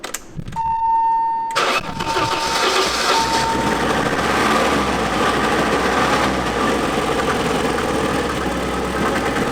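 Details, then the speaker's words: 1988 BMW E30 M3 left non-running nearly a decade. Catches after brief crank, uneven unsettled idle. Rough running; fuel pressure suspected, a fuel leak then found; cause unconfirmed. "So, it it runs. It's not happy, but it runs. Yeah. What are your What are your thoughts? It's running, but still not running good enough."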